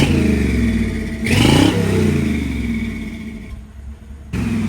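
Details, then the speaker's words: Old Chevy, a '64, with a new exhaust. Deep rumbling idle, then a quick throttle blip that rises and falls cleanly, no leaks or rattles: normal exhaust note. "Fuck, that sounds hell. Yeah, look at the new exhaust on it."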